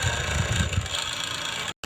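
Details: AC/DC fan that beeped when switched on but would not run, after circuit repair and reassembly: steady low motor hum with a light whirr, no grinding or knocking; the fan now runs normally.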